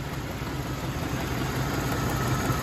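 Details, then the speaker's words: Chevy Silverado V8, 158 miles shown, fuel-locked and overfilled, on six-year-old gas, now running: settles into a steady, even idle with a low rumble and no misses or knocks. "all right guys there it is we got it running"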